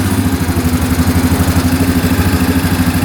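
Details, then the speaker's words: 2009 Yamaha Grizzly 550 EFI ATV with power steering, sold as a non-starter with high idle issues, oil overfilled: steady even idle with soft regular pulse, no knocks or misses, no smoke, engine light off. Normal idle. "Alright, so far so good. Cool. Engine light's still off. Alright. It's a good sign."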